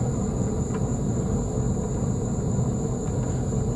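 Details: Boat trailer wheel turning: a continuous rough, gritty rumble from a failed wheel bearing, with a loose, wobbling wheel. A bearing fell out of its cage and ground the hub, races were pitted, and wrong-size seals let water in.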